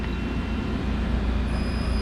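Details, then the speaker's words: 1998 Okuma MX-45VA vertical machining center, spindle started M3 at 500 rpm; even low hum with faint steady high whine, no knocking or grinding; super quiet, bearings don't need replacing. "Comes right on. It's super quiet, flawless. Doesn't need bearings."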